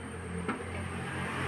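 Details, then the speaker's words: Toyota Innova Crysta with hard clutch and low pickup complaint: after work at the clutch release bearing fork, engine idling while clutch pedal is pumped gives an even low hum; the earlier creaking squeak is gone, clutch operating quietly. "Okay ഇപ്പൊ ആ സൗണ്ടോ കാര്യങ്ങളോ ഒന്നും കേൾക്കുന്നില്ല"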